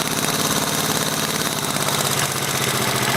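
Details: 1983 Yamaha XT550 single at idle: sharp regular knock, three to four per second, worsening over days, apparently from right-hand crankcase; unaffected by clutch or gear, fades under load and higher rpm; cause unknown.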